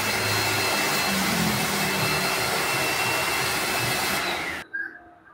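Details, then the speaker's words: Lakoni Laguna 70 pressure washer (70 bar) under spraying load: a steady, loud, hissing whir from motor and pump, then it cuts off; the owner suspects the carbon-brush motor or low inlet pressure, not confirmed. "Okelah ya cukuplah ya suaranya juga cukup berisik karena ini masih pakai brush"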